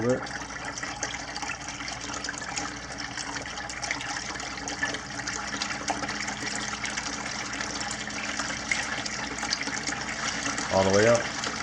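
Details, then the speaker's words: Jebao DC-6000 aquarium return pump after cleaning, tested in a 5-gallon bucket of water, ramped from 3 notches up: steady water rush with a faint, even motor hum, no rattle or grinding; runs normally. "Okay, so the pump is in a 5-gallon bucket with a little bit of water in it. We're going to turn it on and see how it works."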